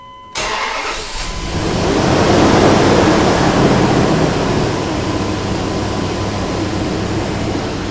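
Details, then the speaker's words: Dodge Durango 4.7-liter, just after fan clutch replacement: engine catches and idles under a loud steady fan roar as the new mechanical clutch runs fully locked; normal new fan clutch roar at startup. "Now this thing should run in the full lock up position. So the fan is going to roar for a while, but after a couple minutes of running, it should settle down to a lower rpm as the fluid begins to settle into the different areas which it needs to be."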